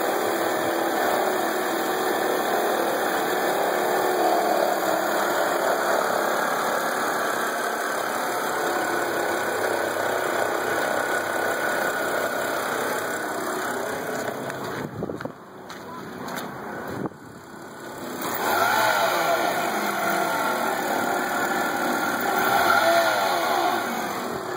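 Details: BMW E90 328i idling: a steady high whine and rough whirring from the belt drive, from a worn idler pulley bearing that spun loose and long with the belt off; the tensioner pulley was tight.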